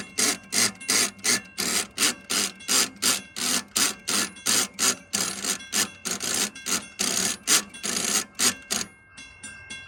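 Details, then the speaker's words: Model 3590 railroad crossing gate mechanism: harsh rasping bursts about three a second in a steady pumping rhythm, because a loose bottom screw lets the plate shift and the pawl spaced too far from the toothed wheel lets the gate slide. "And if this is spaced out too far, it'll cause it to slide. And that is what causes that loud pumping malfunction."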